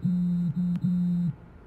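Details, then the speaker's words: Tesla: three low buzzing pulses at a steady pitch over about a second. This is the steering wheel vibrating for the lane departure warning when that vibration feature is on, and it is normal. "핸들이 진동 하고 있다는 뜻 입니다 . 예 . 바퀴 가 진동 하는 소리 입니다 . 차선 이탈 경고 진동 기능 을 켜 놓으면 윙윙 거리는 소리 가 나 는 경우 가 있습니다 ."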